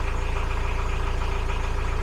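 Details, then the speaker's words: Widebeam boat diesel engine after 500-hour service and winterizing, oil and filter change: even, steady idle with regular low firing pulses, no belt squeal, warning lights off, 13–14 V charging, oil pressure good; normal idle. "As far as I know, everything is good. And there's no squealing, which is awesome."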